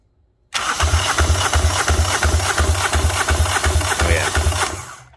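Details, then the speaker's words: Fischer Panda marine diesel generator from a Tiara 34, found dead, cranking on a stronger battery after a weak jumper box failed; even, strong compression pulses with exhaust pushing out and no misses, indicating good compression and a good motor. "she's making compression you can hear it sounds good can hear it pushing out the exhaust even well that's good news"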